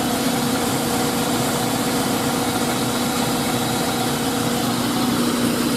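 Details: 2000 GMC Sonoma with 2.2L I4, after a new belt and tensioner replaced a squeaking unit: smooth, even idle with no belt squeal. Owner hears a very slight tapping at the front, possibly the timing chain. Normal idle.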